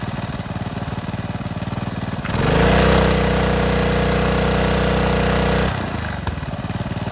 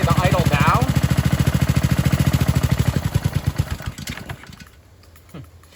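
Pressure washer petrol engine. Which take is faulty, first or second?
second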